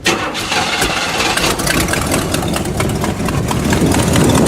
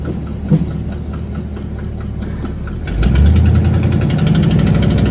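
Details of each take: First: Buick after new spark plug wires, restarted after sitting: starter churns a few seconds at uneven rate before catching and settling into idle; extended crank, the car's usual behaviour, and the problem later returned. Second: Buick after new spark plug wires, cap and rotor fixed a misfire, on first drive: low engine drone builds smoothly as it pulls away, firing steady and even with no misses; healthy under load, though the problem later returned.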